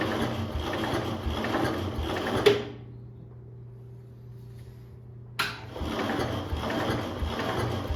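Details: 1971 International Harvester Cub Cadet 126 mower, apparently idle for decades, battery cables just connected and throttle stuck at full: fast, steady starter whirring turning the engine over, a pause, then more cranking without it catching.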